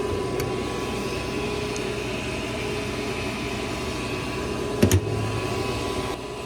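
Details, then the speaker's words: Goodman gas furnace, no-heat call with six-flash flame rollout limit fault, after reset before replacing the limit; steady hum, soft burner light-off thump, blower starts, flame burning good with no rollout: normal furnace startup. "guess the fan just turned on the blower fan just turned on and uh yeah it's still looking good"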